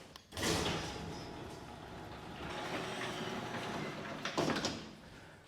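A garage door rolls along with a soft, even rumble and no squeaks, ending in a brief clatter.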